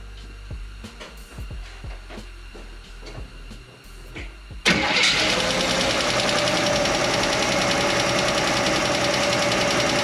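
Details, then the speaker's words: Chevy Nova straight-six running: light, quick, even ticking following engine speed. Stethoscope on each rocker stud found one ticking; tightening that loose rocker arm nut while running made it quiet. "I put the stethoscope on each stud, and that one I felt like it was ticking, like the other ones weren't, and I tightened it up, and it got quiet. So I think it's just that one."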